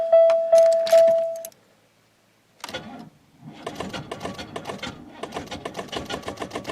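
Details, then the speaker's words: 1996 Buick LeSabre, high miles, sat almost a week: door chime, then slow labored cranking about two and a half turns a second that never fires. Weak battery, slow crank no start; needs charging. "nope not enough we'll have to uh charge that up and uh see if we can't get it to go"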